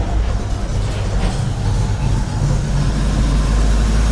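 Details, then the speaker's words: 1970 Ford F250 dually with a 302 V8 after a top-end rebuild: a low idle that steadies, then sags and lopes unevenly. A misfire from the spark plug wires is suspected, and the ignition timing needs further adjustment. "It kind of levels out then it los a little bit. I don't know if I got a miss. I might have to check these spark plug wires."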